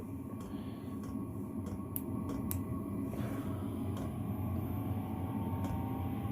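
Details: Chinese diesel heater installed in an expedite van, switched off and entering cooldown mode: a couple of light clicks, then an even, steady fan whoosh with no knocks or rattles. Normal cooldown.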